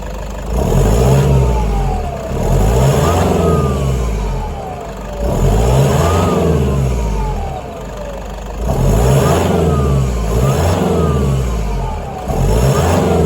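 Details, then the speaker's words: Diesel with nearly 300,000 km, warmed and revved in repeated bursts: abnormal whistling turbo whine sweeping up and falling with each rev; intake full of oil, misfiring under load; suspected blown turbo internal seals passing oil, not confirmed. "Turbo internal seals blown, letting oil pass through. So therefore, coinciding with a whine that's abnormal,"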